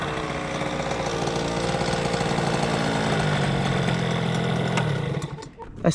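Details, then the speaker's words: Tuned two-stroke scooter with a racing cylinder, new exhaust, and inner-rotor ignition: a high steady wail holds flat near the top, then stutters and cuts abruptly. It is bouncing off the rev limiter, found set to 0, thought to be the lowest level. "sounds like it's hitting a limiter."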